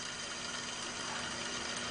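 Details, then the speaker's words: BMW 330i E46 mechanical tensioner pulley for the water pump, alternator and power steering, spun by hand with the serpentine belt off: dry, gritty hiss from a dry bearing; worn tensioner pulley, to be replaced. "and you can tell that the bearings is uh more than likely really dry I'm going to replace it with a brand new one"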